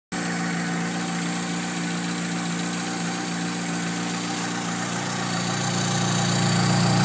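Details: VW Polo G40 idling, recorded on an iPhone: quick light injector ticking (exaggerated by the phone at idle), whine from the belts and a low burr from the G40 supercharger. Injector ticking with belt whine at idle.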